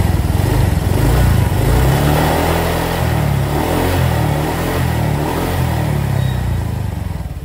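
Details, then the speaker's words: Honda Vario KZR scooter after major service, worn valve guides replaced: steady, smooth idle with the former top-end ticking gone. "Dan sekarang udah aman, udah hilang tuh si suara-suara ngelitiknya."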